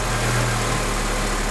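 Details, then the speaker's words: A Honda Element at idle, engine running, with its A/C compressor clutch relay pulled, gives a smooth, even idle with a low steady hum and no clutch cycling. The compressor is off, and the idle is normal. "Right now the compressor's on. Let me pull the relay."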